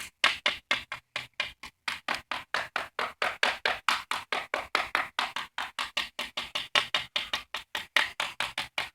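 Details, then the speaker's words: Drained pool after the pump failed over winter. Rapid hand taps across the floor, some ringing hollow and papery against solid thuds, revealing delaminated plaster/marcite that must be cut out. "There is a spot here. You listen, you can hear the difference. Just like on this one, all solid."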